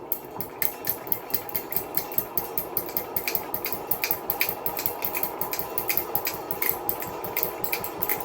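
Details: Hunter ceiling fan motor salvaged from scrap, on low speed: fast steady ticking two to three clicks a second over whir, very loud; worn or loose part suspected, not confirmed.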